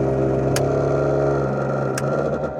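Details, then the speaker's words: 1970s MK1 Ford Fiesta, probably about 112,000 km, interior heater blower fan running: low droning groan at steady pitch, winding down at the end, a noisy worn blower. "but it sounds like a dying walrus."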